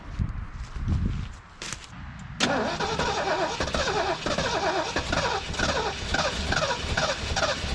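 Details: 1973 Mercury Grand Marquis, 429 Ford V8, 55k miles, long-sitting, fuel system suspected clogged, before running off a boat tank: steady starter whirr about two to three beats a second, never fires; cranks, no start.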